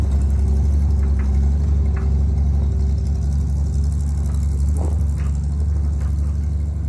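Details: International 1-ton flatbed (stated 1947 or 1949), revived after about 50-53 years, 12-volt with replacement coil lacking required resistor; six-cylinder runs steady with smooth low thrum, no knocks or misses; normal running.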